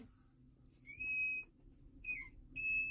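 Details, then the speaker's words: Ford F550 with vacuum-boost brake assist: pressing the brake pedal hard gives sharp, steady high-pitched whistling squeals, like a child screaming under the dash, as vacuum leaks past the booster plunger; brake booster vacuum leak. "this has what's known as vacuum boost brake assist and when you push in the pedal it pushes in that plunger but if we have a leak hear that slight hissing sound and they push really hard let's see if i can do it there we go we start leaking vacuum"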